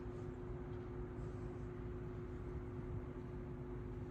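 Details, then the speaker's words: 1942 Emerson 77646 (possibly AL) vintage desk fan on low speed. A quiet, steady low hum with no rattle, grinding or ticking; it shakes a little but runs really nice. Normal running. "As you can see, it shakes a little bit. Better than that, it runs really nice too."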